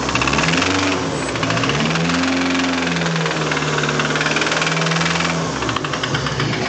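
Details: Freshly installed used SR20DET turbo four, knocking the day after installation: a steady, heavy knock rides through the low rumble of a rough idle, pointing to a worn rod bearing; rod knock.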